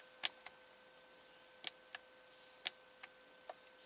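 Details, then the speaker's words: 1993 Cadillac Allante Northstar V8 with P030 idle speed control code, key on engine off, scan-tool ISC motor extend command: faint sharp ticks in small bursts, motor steps but pintle not extending; idle speed control motor not extending. "okay. I can hear it moving. It's trying to move. The pintle is not extending. That's the sound I was hearing before."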